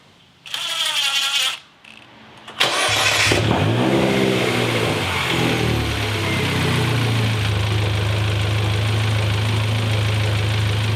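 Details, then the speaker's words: Rebuilt turbocharged MINI with built engine and larger turbo, after break-in oil and filter change: starter crank, engine catches and flares, settles into steady smooth idle with faint turbo whistle; normal. "Listen to that turbo."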